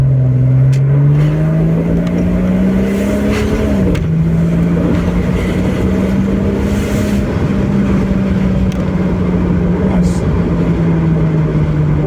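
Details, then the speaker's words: 2001 Porsche 986 Boxster S 3.2 Tiptronic with a pair of 48 mm dB-killer exhaust baffles fitted, driving. The note climbs smoothly, then holds a steady even cruise tone; the drone is eliminated. "definitely killed that drone yeah that's much much better sounds great"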